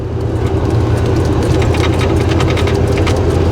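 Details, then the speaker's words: 1990 Chevrolet K1500 with stock 350 and stock-style exhaust, driving over bumps: steady road rumble with scattered light clicks and rattles from the dash, heard on larger bumps, source unknown. Dash rattle over bumps. "not sure exactly what it is but going over a few bumps there is a few little rattles coming from the dash"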